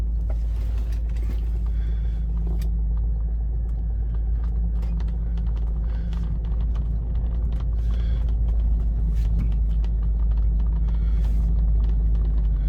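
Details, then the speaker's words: Rolls-Royce driving on wet grass on truck tyres: low, even engine rumble, smooth and quiet with no knocks, leather creaking slightly; normal smooth drive. "It drives nice and smooth, nice and quiet. You can hear the leather creaking a little bit."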